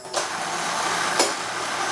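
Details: Restored Marx Big Job toy dump truck, one of three electric motors, repaired from non-working: the small dump motor whirs at a steady high pitch as the bed raises, running smoothly without stalling or grinding.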